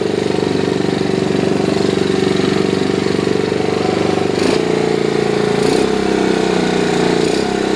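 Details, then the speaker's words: 1969 Honda CT70 single cylinder, long-sitting non-runner, at first start: it chugs along at a steady quick idle of about four beats a second, even and unbroken, running clean; the headlight and alternator work. "This one this. Shoot all start. Sounds good. Sounds good."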